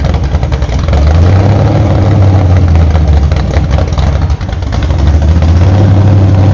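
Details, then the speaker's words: Freshly built 1968 Camaro Z/28 302 V8 with 30-30 Nostalgia Plus camshaft on open headers without mufflers: loud rumble pulling smoothly through blips, with a brief dip near four seconds; normal startup and revving. "I do have muffs off now open headers for this video but typically if I'm running an engine to break it in I put muffers on it so it doesn't get make any more noise than an ordinary car so so Tony's engine we're going to fire it up and see how it sounds"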